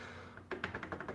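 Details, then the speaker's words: Old bicycle bottom bracket, crank rocked by hand before servicing: quick run of sharp dry clicks, about eight in under a second, from very loose spindle bearing play. "So yeah, you can really hear how loose that is, and you can obviously probably see that."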